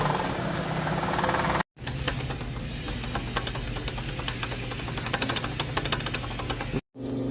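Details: Chevrolet Aveo at idle: fast, irregular ticking chatter over a steady hum, sharper than valve noise. Traced to a worn accessory belt pulley.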